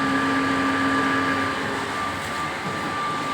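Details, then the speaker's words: Water purifier plant (1000 plant) pump after pump repair; it kept taking air because a dried vessel, not the pump, was at fault, fixed by wetting and cycling; smooth constant hum, no surging, rattles or air sucking; normal running. "পাম্পটা চলছে, আওয়াজ তো পাচ্ছেন আপনারা।"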